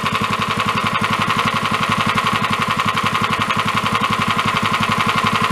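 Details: Free 13 hp Honda clone engine for a go-kart, warming up on choke after a valve adjustment: a sharp, even knock on every beat over the exhaust, getting louder the longer it runs; internal knock, cause not yet found.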